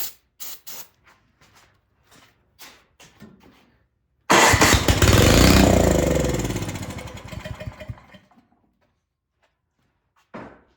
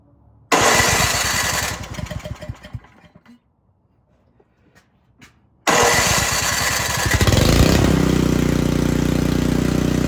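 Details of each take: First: Craftsman snow blower that sat unused and won't start, carburetor suspected gummed: starting fluid sprayed into the carb, silent pulls then a burst of firing that dies within about four seconds; spark confirmed, fault fuel-side. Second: Craftsman snow blower that sat unused, after installing a new carburetor and shortening the fuel line, kill switch not yet connected: cranks, catches, dies back, then fires again and settles into a steady even run; starts properly.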